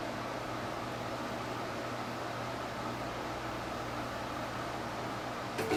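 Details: Printer during clean-head or auto maintenance cycle: quiet, steady airy hiss with no rhythm from the print head area, followed by error counter reset, repeating for hours; cause unknown.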